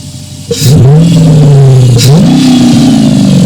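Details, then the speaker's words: Dodge Charger Pursuit fitted with a BBK 85mm throttle body, cold after a few pulls, mic by the air intake, revved: a loud squeal climbing and falling with revs; serpentine belt squeal, owner wonders if the crank pulley wobbles. "I did them pulls and it's cold. Now my shit wanna really squeal."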